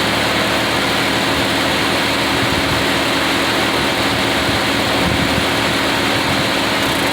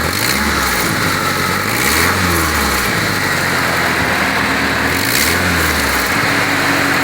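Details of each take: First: Engine idling after exhaust manifold gasket replacement: steady, even idle with a smooth hiss and no puffing or ticking at the manifold. A faint sound remains that should go away once the engine is hot; normal idle. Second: 2006 Mitsubishi Outlander, engine running: sharp loud puffing hiss swelling with revs from the exhaust manifold, escaping mostly between the manifold gasket, before gasket replacement.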